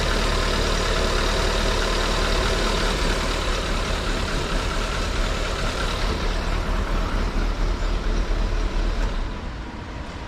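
Steady low engine idle with an even beat and no stumbles or misses before it fades out; it sounds like a clean idle.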